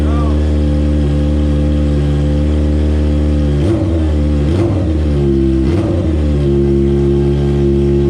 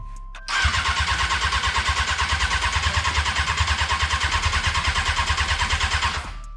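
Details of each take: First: 2002 Honda F4i sport bike, first start after getting fuel to it when the pump wouldn't prime: smooth idle with quick throttle blips rising and falling cleanly, very smoky; fires up and revs freely. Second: Honda F4i sport bike stunt build, first start attempt, fuel pump priming: steady starter cranking about three turns a second for six seconds with no firing; turns over but won't catch; cranking, no start.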